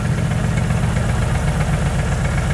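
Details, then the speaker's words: 2JZ-GTE turbo six in a Mercedes SL500 swap; lumpy uneven idle with missing pulses. A noid light shows no signal at cylinders 1 and 2 with wiring intact, pointing to a faulty computer, and crankcase pressure blew the front seal. Two-cylinder misfire. "nothing no signal to fire that's our problem right there bad and I blew the front seal out of the engine from crankcase pressure shut her down"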